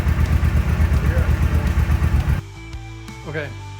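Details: 2014 Suzuki M90 motorcycle that was sputtering, after fuel pump replacement and several primes: steady, even low thump with no popping or misses, then the engine note drops away; running smoothly.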